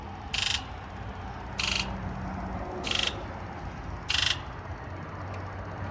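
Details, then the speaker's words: Ford F550 7.3L Power Stroke, hard to start after sitting, scan-tool injector buzz test: sharp buzzing bursts about a second apart over a low hum, number 1 quietest on repeat (earlier number 7); owner suspects injectors need replacing. "Yeah, so once again, now only number 1 was the quiet one. Maybe this thing just needs a new set of injectors."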